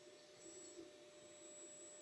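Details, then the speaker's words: Brand-new FLSUN S1 3D printer printing, enclosure door closed: steady vacuum-like fan rush with faint constant whine, no knocks or skips; loud but normal, much louder with door open. "I mean, it's not as bad as I thought it was going to be. It's loud. It definitely sounds like someone's running a vacuum."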